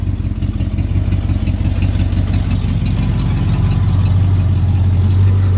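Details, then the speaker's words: 1951 Ford F1 truck with V8 (Mustang/Cobra valve covers, big air cleaner): steady, even idle with smooth low burble, no knocks, misses or ticks; engine runs healthy. "a listen to this engine it really runs great"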